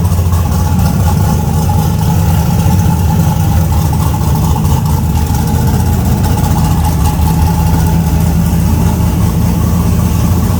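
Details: Car "Fancy" after a 6.2 LS swap replacing a 406 SBC with an out-of-balance Scat crank: deep, even V8 rumble at steady loudness with no misses, lope or hunting.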